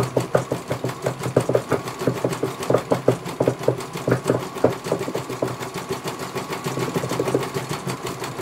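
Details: CNY computer embroidery machine in for service from Banjarnegara, Central Java, that arrived with its motor (dinamo) not turning and the bobbin case missing; quick, even stitch ticks at a steady pace, no knocking or grinding, one colour completed well. Normal stitching.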